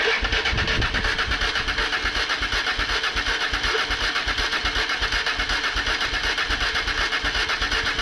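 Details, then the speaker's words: Honda Bros / Hawk GT 650 V-twin, first start after sitting in the shed; uneven, lumpy idle pulsing two to three times a second, sounds like running on one cylinder at first, then seems to pick up; rough running. "Sounds like it's running on one."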